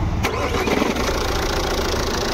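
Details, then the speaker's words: Jeep Compass engine compartment noise: with accessory belt removed, engine starts and runs quietly with no chirp or rattle, confirming the seized alternator pulley (locked both directions) as the noise source; pulley to be replaced. "अभी देख सकते हो गाड़ी हमारी एकदम silent हो गई है क्योंकि जो हमारा प्रॉब्लम है अल्टरनेटर का पुली का प्रॉब्लम है"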